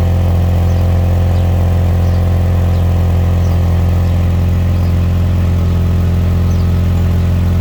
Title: Is that an exhaust leak on the 1997 Lexus LX 450?